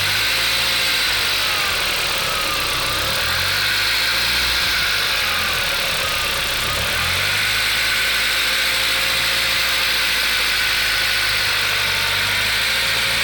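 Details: VW Golf IV 1.8T 150 hp AGU petrol idling: light fast clatter from under valve cover, about four taps a second, worsening with revs; owner suspects camshaft connecting chain, not confirmed.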